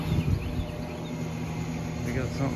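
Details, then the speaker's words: Very old Mitsubishi Mr Slim ductless unit in an abandoned building, first power-up after disconnection: a low steady electrical hum that never rises into a running note. The compressor appears to try to start but fails and seems to cut out on overload. "something buzzing let me turn this one off oh we cut out on an overload or something sounds like the compressor was trying to start but didn't"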